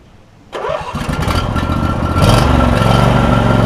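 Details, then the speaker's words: John Deere E140 lawn tractor with a swapped-in used Briggs and Stratton V-twin replacing an engine with a broken piston; catches at once and idles smooth and even with no ticking or exhaust leaks, quiet deck with new blades. "it's quiet no exhaust leaks mower decks quiet on it new blades the mower decks level"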